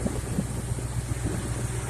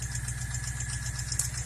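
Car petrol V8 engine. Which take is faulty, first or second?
second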